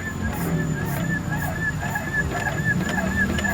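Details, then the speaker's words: 2013 Mitsubishi Outlander, stabilizer link replaced a month earlier, on a suspension shaker: hollow knocks about twice a second from a loose, worn stabilizer link; noise absent at high highway speed. "Dan ketemu nih link stabilnya udah mulai oblak nih. Kalian ada suaranya juga nih kalian bisa dengar."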